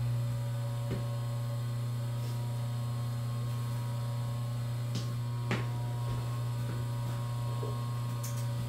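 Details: Three-phase motor started and run on 220 V single-phase power with capacitors, no converter: smooth, constant low hum with no growl, rattle or speed wander; amp draw near spec; normal running.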